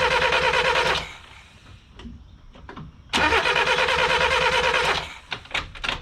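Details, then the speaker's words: 1988 Ford Festiva after 13 years sitting, just converted to a Weber carburetor, choke acting oddly: two even two-second starter cranking bursts with no firing or catch; spark shown, cause of no start unknown. "and now it's not kicking oh god why why what in the hell is the problem everything is routed properly"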